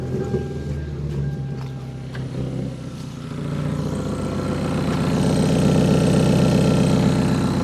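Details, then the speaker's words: 2012 Hyundai Veloster at cold idle with one header bolt removed: sharp, rapid puffing tick over the engine note growing louder; exhaust leak at header joint, sounding little different than before. "So theoretically the car should have an even worse exhaust leak now, and we have to go back to Harbor Freight."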